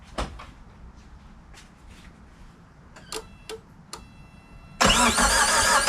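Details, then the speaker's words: Suzuki Samurai with 1.6 VW turbo diesel after oil change, new valve cover studs, fuel drained and injector pump not yet primed: light clicks, then steady starter churn without firing to build oil pressure; cranking without starting. "we're gonna give it a few turns kind of bring some oil pressure up"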